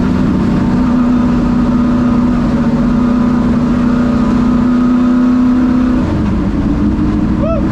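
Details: Ford Thunderbird NASCAR stock car (Hooters) on test drive after reinstalling the starter and re-gasketing/tightening the headers: booming V8 pulling hard at steady revs, dropping off as throttle closes; clean even firing, normal running under load, plenty of power.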